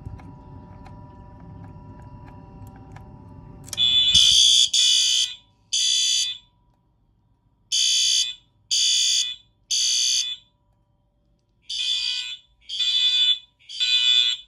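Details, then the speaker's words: FireLite MS-5024 fire alarm panel test with System Sensor SpectrAlert Advance P4R, Wheelock MT and FCI multitone horns, deliberately unsynced. Shrill half-second blasts overlap in an irregular pattern; a normal test. "have them unsynced on purpose I don't know why the Str is so loud I just have it like this so it sounds like a retrofit"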